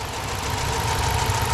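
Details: 2006 Dodge Magnum 5.7-liter V8, already warm, just fitted with a K&N cold air intake, no check engine light: smooth, even idle with a steady low rumble and faint hum, no knocks or misses.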